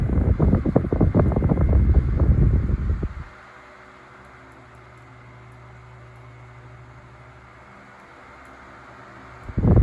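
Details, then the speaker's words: Tatung 12" oscillating fan LC-12, possibly late 1980s, cleaned with compressed air and wicks oiled (motor never opened): a low, smooth, even hum after some buffeting, no ticking, rattling or scraping. It oscillates slow and smooth and is healthy. "yeah it oscillates nice and slow and smooth you don't get any of the fast jerky stuff going on"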